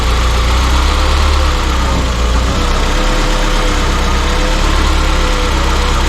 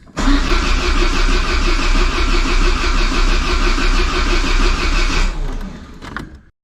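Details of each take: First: Peugeot 205 GTI fully rebuilt engine running after its first startup: dense, steady low idle holding speed without surging or missing; fresh engine settling into a healthy tickover. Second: Peugeot 205 GTI with fully rebuilt engine on first start attempt: starter cranks steadily about three beats a second but never catches; spark present but no power to the injectors, traced to a dead fuel pump (tachymetric) relay.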